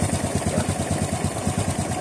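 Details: Honda RS 125 motorcycle, cold engine, after repair with the cam chain tensioner replaced to cure a ticking: even, regular low putter at idle with no tick over the top; normal, smooth, quiet idle.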